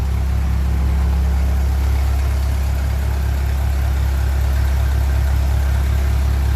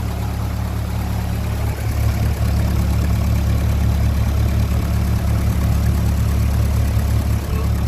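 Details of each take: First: 1957 Ferguson 35 TVO tractor after valve clearance adjustment and rocker cover refit with ageing gasket: deep even idle with no sharp valve tapping; much quieter valvetrain, and the thermostat housing leak seems sorted. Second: 1957 Ferguson 35 TVO tractor warming up after valve adjustment: steady fast even tick-over with deep drone that won't drop lower; idle too high, owner knows the cause.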